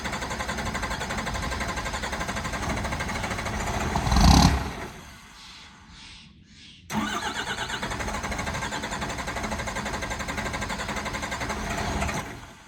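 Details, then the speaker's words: 1985 Ford F250 with 12v Cummins swap, cold start around 24°F after sitting overnight, no grid heater, timing turned up: rough clattering start, stumbles near silent two seconds, catches and runs unevenly; air leak at overflow valve. "it has a small air leak from the overflow valve i need to replace that so it's gonna it's gonna do a pretty good hard start and then probably die and then start again"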